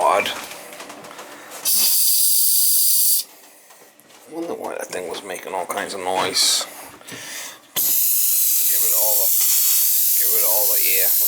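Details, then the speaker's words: Winterized cottage water system being restored after freeze-up, pressure tank refilling: bursts of sharp hissing between quieter gurgles as trapped air is drained from the water tank during refill. "We gotta drain air out of the tank first thing. Hear the tank filling."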